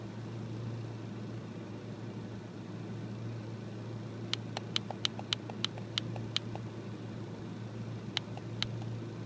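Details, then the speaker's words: 1996 Ford Ranger 2.3 L four-cylinder, 245,000 miles, runs great: low steady drone at idle broken by bursts of sharp irregular ticks or snaps; rough idle. "the ranger is kind of a rough idol i kind of really don't know how to read these things"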